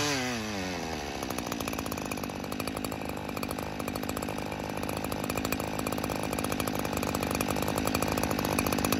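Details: Stihl FS 94R two-stroke trimmer, cold first thing in the morning after a tune-up, during carburetor adjustment: brief rev drops into a steady high buzz with no dipping or bogging; owner reports it usually bogs by midday and sometimes shuts off.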